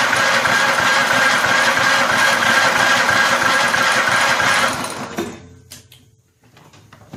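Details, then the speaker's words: Vintage Snapper walk-behind mower, free, drive and governor need fixing, cranked indoors on its electric starter: starter churns steadily about five seconds with no firing or catch. Owner unsure of gas and finds a little in the tank; cranks but no start. "Any of you check the gas in this? It isn't exactly something I have done, and I have no idea."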